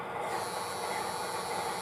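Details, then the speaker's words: MTH Propane Turbine (20-2261-1, Proto 2.0, 2001) locomotive on track, smoke unit fan motor after a drop of oil; thin high whir with faint squeal over hiss, still noisy but slightly quieter, dropping a decibel or two as it runs; owner suspects the motor is dying. "and it still makes noise but it seems to be a little quieter than it was before and as it gets going it tends to drop in you know maybe a deciel or two"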